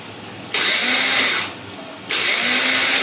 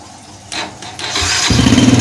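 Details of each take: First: 2010 Yamaha Jupiter Z Robot, new battery at 13.0 V, ignition on: two high one-second whirring bursts, engine never turns over; electric starter motor spins freely but does not engage, so it will be taken apart. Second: 2010 Yamaha Jupiter Z Robot after the starter motor was refitted: short whirring crank, engine catches within a second into a quick steady putter; electric start now works.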